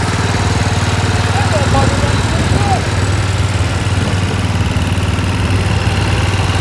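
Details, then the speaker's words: Massey Ferguson 7 lawn mower engine, revived after years of sitting, fuel line refitted: even, steady single-cylinder putter at fast idle, no misses; running cleanly. "there's a little flutter yeah all righty now we're talking here let me turn off my microphone so you can hear the motor"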